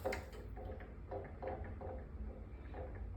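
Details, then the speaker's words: Aquafire water vapor fireplace, unit unplugged: light uneven little ticks over a low hum as the float sensor bounces freely after plunging the mist rack to make a wake, clearing a float stuck down that caused overfilling. "once you hear that little rattle sound that's an indication that the float sensor is now free and clear and the unit should run properly"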